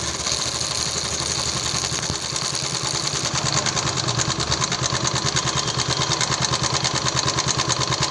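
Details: TVS XL 100 Heavy Duty small single-cylinder engine, checked for clutch-plate noise at slow speeds: it putters at an even idle rhythm with no clutch rattle or knock. A normal, steady idle.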